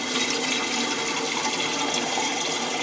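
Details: Toilet cistern refilling after the siphon seal was repaired to stop water leaking into the bowl, with the water turned back on: a steady, even rush of water with no on-off valve cycling, so the fill valve is refilling normally.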